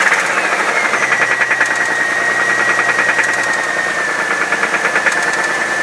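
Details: 1997 Chevrolet Camaro with a 3800 V6 and a bad motor: the running engine has a regular, fast light knock under a steady whine. Internal engine knock; source not pinned down.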